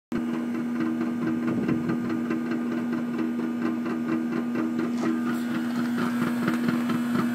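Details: Trane air conditioner: steady hum with a fast uneven plucky twang roughly twice a second, like something loose buzzing in the unit; cause unclear.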